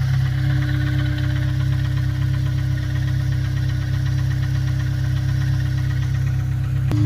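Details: Honda S2000 at idle: light regular knock about two to three a second over the engine hum. Engine knocking; owner asks whether it is rod knock or the timing chain tensioner, unconfirmed.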